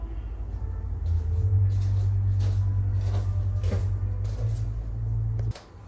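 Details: NordicTrack treadmill: low incline motor hum with a repeating metallic ding about every second during incline and decline, with or without a runner; probably loose incline motor bolts and frame screws.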